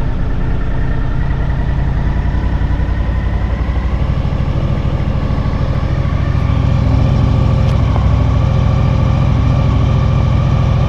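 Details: 2000 Honda VFR800, fuel-injected, restricted, on its first start after 6 months standing on old fuel: lumpy, uneven idle with a stumbling beat that never settles. One cylinder is dead with its exhaust pipe cold, so it runs on three.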